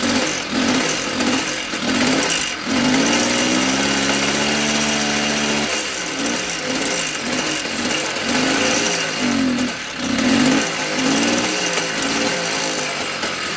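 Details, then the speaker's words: Mobylette X1 two-stroke after an engine rebuild, with the drilled-out carb jet replaced by the good moped's jet, warming up. It blips up and down and holds a steady rev in between. Runs properly again. "And while it's running, I'm just going to let it warm up and see what happens. Okay, so this little bike is running very nicely."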